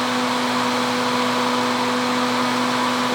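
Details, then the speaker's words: Repaired Husky Pro air compressor with a new cooling fan that directs air well across the cylinder fins: a steady airy rush with a constant low hum, even throughout. The cooling fan is running normally. "it's uh it's blowing really hard lots and lots of air as I said I would really I think that don't think the flywheel produced that much air and it's really well directed"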